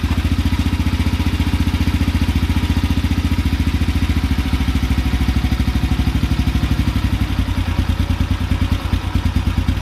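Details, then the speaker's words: Carbureted motorcycle single with the idle adjustment screw set as low as possible to begin the idle drop procedure, around 500-600 rpm. The beat is slow and lumpy, just over two firings a second, barely holding on. "pretty low dad says firing around 500 600 rpm maybe a little bit faster"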